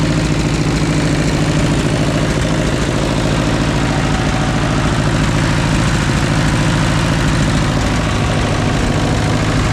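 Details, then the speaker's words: 1944 Ford 2N tractor, first start after carburetor cleaning: steady low idle with a light regular tick, about three or four per second; source of the tapping unconfirmed. "boy listen to this he just I don't know it sounds Ticky to me it really sounds Ticky"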